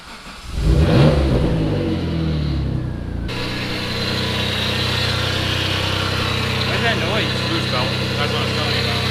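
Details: Mitsubishi 3000GT VR4 (twin-turbo 6G72 DOHC, AWD) on a new engine, after cams were swapped around, running stock on a standalone AEM ECU. It cranks and fires with a rev flare, then settles to a smooth, steady idle with no knocking or ticking. Normal start.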